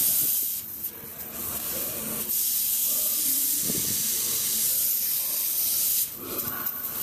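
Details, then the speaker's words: HVAC unit during leak testing: steady high-pitched hiss of refrigerant escaping, pulsing slightly, no machinery running; leak at a worn pressure switch fitting that moved when leaned on. "I lent on some I think I on the pressure switch it moved and I can hear it hit anyway that is where it's coming out"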